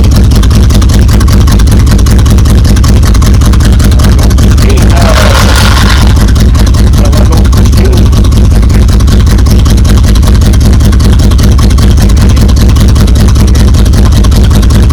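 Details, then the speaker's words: 1977 Buick Electra 225 with the Buick 350 V8, sat for about 28–32 years, running with the exhaust off after a clogged catalytic converter was removed: loud, raw, lumpy unmuffled rumble at about 150 pulses a minute; open exhaust. "Let's see what the old Buick 350 sounds like with no pipe lighters on it."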